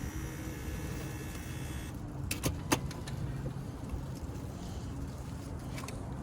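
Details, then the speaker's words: Auction vehicle: a few sharp clicks at key turn with no cranking following. The starter is not engaging. "You can hear it clicking. It's not engaging the starter on this one."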